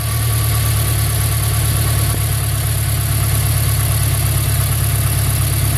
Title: Renault 2001 F4R misfire